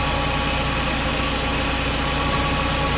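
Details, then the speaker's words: Mercedes SLK R170, recorded under the car at the fuel pump, which sits near the hot exhaust pipe. A loud, steady, constant-pitch whir over the idling engine from the 25-year-old pump motor. Noisy fuel pump. "Quite noisy, I can hear it running. Let's see if you can hear it. Yeah, that's quite a whir there, isn't it?"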